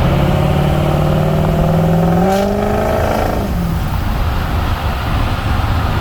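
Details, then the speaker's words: 6.0 Powerstroke diesel, warmed up, VGT turbo control switched off (smoke switch) versus on: deep rising whoosh and whistle climbing with rpm then dropping, like spooling a massive turbo, with much more smoke; throws a check engine light. "So this is with the turbo on. This will be with the turbo off. Okay, you hear the difference? This is how much more it smokes. It's like spooling a massive turbo."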